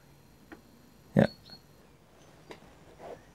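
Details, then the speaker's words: iOptron CEM40 telescope mount, RA axis slewing at slower speed: faint motor hum broken by sharp isolated pops about once a second, one much louder, each time the marked damaged section of the worn RA drive belt passes over the sprocket; caused erratic RA guiding. "yes it seems to be that the damaged part of the belt is inside the housing every time it makes this popping sound"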